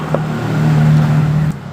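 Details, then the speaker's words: Honda Beat FI scooter: a steady, low, heavy starter drone drags about 1.5 s then cuts. Kickstart also feels very heavy; battery reads 12 V, dropping to 11 V on the starter. Thick white exhaust smoke blamed on rings. Hard cranking from a worn decompression lever. "Jadi saya meyakini bahwasanya itu bukan di baterainya, karena saat saya kickselah seperti ini itu terasa berat bro. Nah, ini berat bro, ini berat sekali."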